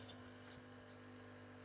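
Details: Krups Nescafe Dolce Gusto capsule machine after replacing the leaking diffuser/needle plate seal, brewing a milk capsule: a quiet, steady, even pump hum with no sputter or gurgle. It brews normally with no leaks.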